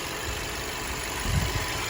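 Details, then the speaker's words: 2018 Audi A4 2.0L idling after wrong dealer-fitted spark plugs were replaced with correct ones; steady, even low rumble with no misses or stumbles, rough idle fixed, normal idle. "you know what I think I fixed the rough idle yeah I think I did you know why you know why it was rough idle it's pretty smooth now two liter"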